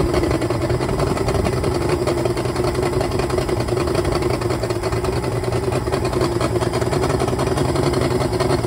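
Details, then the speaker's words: 2004 Yamaha fuel-injected two-stroke outboard, 400 hours, smoking, with oil wrongly premixed in the gasoline: uneven, lumpy, stumbling idle. A cylinder check found four coils not firing at high rpm; misfire from failed ignition coils. "and also we found out the four coils were not firing we tested in a high rpm and four of them were not working"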